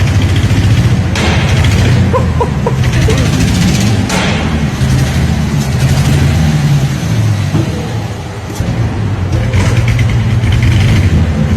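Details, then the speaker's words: Mustang drift car's V8 running after four years with new transmission, clutch and fuel system; exhaust headers not fully on, smoke in cabin. Lumpy, uneven idle that stumbles and surges; rough running, owner suspects bad fuel, reluctor wheel was broken. "got it running at work. Right, it fired up, it ran like shit. It sounds like a car from fucking Mini Grand Prix!"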